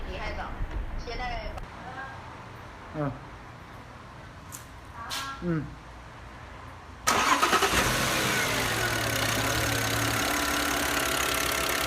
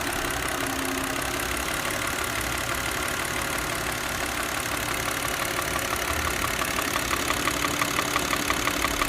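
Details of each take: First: Audi C6 2.4 at idle after repairing a known intake-manifold rattle (a rhythmic knock that stopped when the vacuum line was pulled), fixed by slightly bending and greasing the intake shaft: even, steady idle, knock gone, normal. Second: Old Audi C6 2.4 petrol engine at idle: steady rhythmic knock about three per second from the intake manifold, a known common fault; noise stops when the vacuum hose is disconnected and returns when reconnected.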